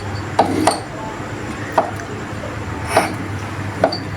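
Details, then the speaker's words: Vespa PX150 repro engine, flywheel turned forward by hand: sharp irregular ticks about once a second, none when turned backward; kickstart gear clashing with its mating gear, which can wear out both gears if ignored. "Ada suara tek ataupun kadang suaranya halus tik tik tik tik kalau diputar ke belakang itu gak ada teman-teman"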